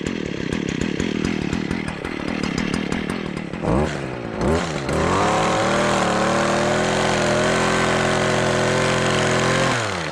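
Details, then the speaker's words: Stihl KM56RC kombi unit after a pop and stall under hard hedge-trimmer use, found out of fuel and refilled: rough start settles into a high, steady, even buzz while warming up; running healthy. "We seem to be working if you seen that."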